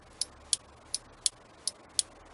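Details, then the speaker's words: 1968 MGC with new flasher unit for LED turn indicators, right blinker on: crisp, evenly spaced ticks, roughly two or three a second, slightly different from the old unit; flasher clicking normally. "click so this flasher unit has the sound the clicking sound just like the old one I mean it sounds a little bit differently but it's it's indicating the way it should"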